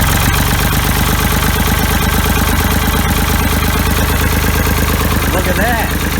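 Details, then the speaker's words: Ford 3000 diesel after freeing the stuck Simms injection pump plungers and cleaning the injectors: steady, even clatter at a relaxed idle, firing regularly without stumbles; normal idle. "sounds like it's running pretty good so that sounds like it's running pretty good"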